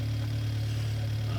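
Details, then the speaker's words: Healthy four-cylinder at idle recorded with Steelman microphones, scoped at 200 ms time base with ignition trigger; smooth, even low hum with steady beat, no knocks or ticks, four normal events per fire cycle, no abnormal engine noise. "we don't have an abnormal engine noise you can see as I mentioned earlier in the previous video we usually see uh we usually see four normal events in a fire cycle"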